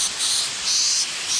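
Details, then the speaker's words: T-bucket mechanical fuel injection pump under pressure test: sharp, high hiss swelling and easing in pulses as pressure rises; relief valve starts opening around 145 psi, apparently set near 140, correct setting still to be confirmed. "about 145 psi. Point down where it stops leaking. Looks like it's set right now at about a 140. Starts to open up around 145."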